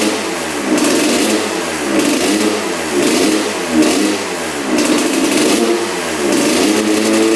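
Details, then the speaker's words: 1986 Honda CR125 two-stroke dirt bike, straight gas suspected instead of premix: at full throttle revs rise and sag in a repeating blubbering bog; owner suspects a partially clogged pipe. "the bog almost sounds like the the pipe is clogged so I wonder if that's what's going on but it fired up so I think it was partially the spark plug and probably partially the throttle slide being stuck pretty far up but sounds pretty good but you can hear that bog at Full Throttle"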